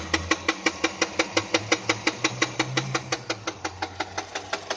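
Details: Peugeot 207 engine at idle: sharp, regular ticks about three a second over a quiet idle; engine knock, cause unknown.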